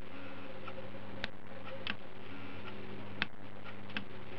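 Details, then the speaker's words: Idle air control stepper valve run by a MegaSquirt MS2/MS3, sitting in its housing, at ignition-on: a soft low hum with light clicks as it drives out, buzzes and stalls against its home seat, then returns to cranking position; normal homing. "so it goes out buzzes as it hits it stop and then comes back in back in again and ready for cranking in its cranking position"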